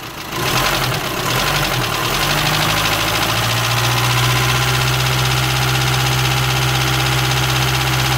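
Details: Volkswagen Amarok 2.0 diesel at idle before engine rebuild: loose, uneven knock about four times a second over the clatter; strange noise, oil pressure being checked, cause not confirmed.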